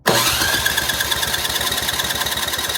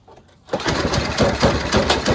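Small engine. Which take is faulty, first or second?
second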